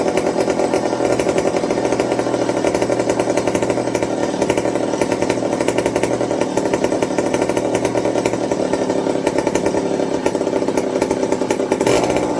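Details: McCulloch 55 gear-drive chainsaw after a homemade Scotch-Brite pad tank wick and a 090 carburetor swap to cure fuel starvation: crisp, steady two-stroke buzz at even pitch without surging or stumbling; running cleanly, normal.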